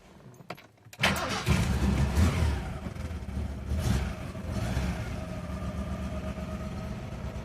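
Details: Original one-owner 1966 pre-production LHD Ford Zodiac MkIV, started in neutral: after a brief crank catches cleanly and settles into a steady, even idle with no knocks or misses, good oil pressure; normal cold start.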